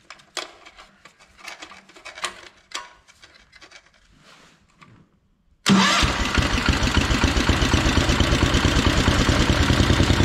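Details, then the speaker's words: Kohler 14 HP single on a Minneapolis Moline 114 Hydro garden tractor, cover removed to rule out contact, after a choked start settles to a steady beat with a hard top-end tap; owner thinks the engine is worn. "so that confirms you can hear it kind of knocking up here in the top end so just wanted to make sure that it wasn't something hitting that cover because I have heard that cover make some bad noises before but I think this engines just were out"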